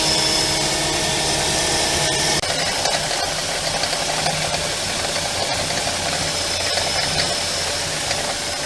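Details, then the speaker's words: BMW E46 N42 engine, cold idle after air pump switches off: busy, irregular clack from drive belt pulleys, quieter after minutes; tensioner pulley replaced without fix, alternator or idler pulley suspected; shorter 1870mm belt fitted. "You hear the noise, the clunk, clunk, clunk. After a few minutes, it seems much quieter."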